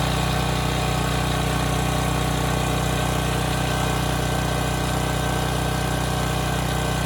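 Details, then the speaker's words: Briggs and Stratton Storm Responder generator, bought as a parts machine, runs really well after fuel line hookup, with a steady, even drone and no surging. Power output and engine speed are good, aimed at about 61 Hz no-load and 60 Hz under load. "okay good this was supposed to be a parts machine but it's running really well I mean the power outputs good the engine speed is good it's maintaining its speed well under load"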